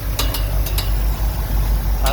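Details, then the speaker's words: 1969 Ford F100 idling after coil wire change: steady idle with sharp, uneven slapping ticks as the cooling fan blades strike the radiator; pulling the radiator back cured it. "fan hitting the radiator yeah it's a fan hitting the radiator I just pulled it back and that took care of it"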